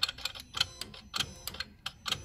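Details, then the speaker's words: Non-starting 57-plate Saab 9-3 convertible: a bridged live is fed to the engine ECU connector. A quick run of sharp, uneven clicks and ticks follows as the ECU powers up, so the ECU is probably fine and the fault is diagnosed on an earth. "you should be able to so there we go so we know the ecu's fine probably and that's running"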